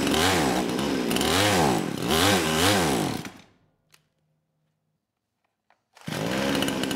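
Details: Kraftworld KW-5800 58cc Chinese two-stroke chainsaw, low compression after being run on straight fuel; on choke with throttle at idle, low-speed jet two turns out, it surges up and down about three times, can't hold revs, dies and refires, living only on choke.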